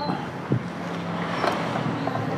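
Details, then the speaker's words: Honda Beat FI scooter with a dying ECU, just after a new dealer ECU is fitted, at key-on: a faint steady hum of the fuel pump priming normally, the blinking is gone, and the engine starts. "pulpam dengung ya nih kedipan hilang"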